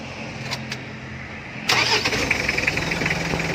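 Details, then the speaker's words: Mitsubishi L300 diesel after replacing the worn injection pump rotor head and two poorly atomizing nozzles, for hard starting, stalling and power loss: short crank, starts at once without throttle and settles into a steady, even idle clatter; normal start and idle. "Oke Langsung hidup Ya begitu kita step tanpa kita injak pedal gas ataupun kita rapper besar pada tuas gas di botolnya ini bisa langsung hidup dengan normal"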